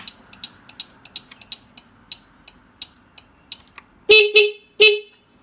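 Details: 1993 Honda Helix scooter, about 67,000 miles, estate-sale bike powered up after teardown, not yet started; light regular ticking about 86 a minute with a few horn blasts; turn signal beeper sounding, signal possibly needing cleanup.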